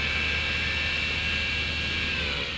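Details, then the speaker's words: 2004 Yamaha R1 with new replacement radiator fan, replacing one that made awful noises: smooth, even airy whir with faint steady whistle, no scraping or rattle; healthy fan. "beautiful that thing sounds a lot healthier and i think that's going to go well on the bike"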